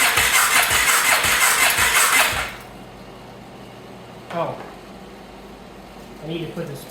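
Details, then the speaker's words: 2014 Sportsman 570 ATV, first start attempt after top-end rebuild (decompression mechanism broken when cam was installed in the wrong spot): about two seconds of fast, even starter churning at roughly three beats a second, no firing. Won't catch; owner suspects missing air filter. "okay something's not catching not quite sure if it maybe has to have the filter on I don't know like with that back pressure"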